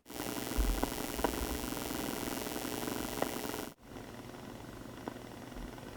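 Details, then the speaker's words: EcoFlow River 2 Pro inverter powering a guitar amp: loud steady hiss and buzz with popping from electrical noise on the inverter output, which measured over 2000 mV on a dirty-electricity meter. "I plugged in my guitar amp into the inverter and this is what it sounded like"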